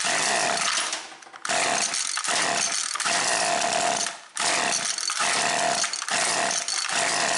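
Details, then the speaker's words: Husqvarna 325P4 non-telescoping pole pruner, two-stroke: cranks fine, then screams, cuts out and catches every second or so, missing like crazy; severe intermittent ignition miss, first suspected fouled plug, traced to slid-back insulation on the spark plug lead. "I'm getting intermittent fire. It'll crank fine for a couple pulls. And it just misses like crazy."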